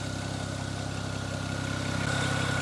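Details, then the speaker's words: BMW 335i E92 N54 after fire-damage engine rebuild and reinstall: smooth steady idle, even pulse, no stumble or miss; earlier bad misfire-like running was caused by an unplugged vacuum line to the exhaust manifold flap, now reconnected; normal idle. "runs super good so as we can see the car runs perfect"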